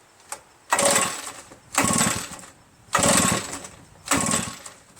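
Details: Redmax EBZ8050 backpack blower reassembled from pieces, fuel, spark and compression checked, piston looks fine: four pull-cord strokes on choke, each a brief rasping spin with no firing; owner suspects carbon-stuck rings giving low compression.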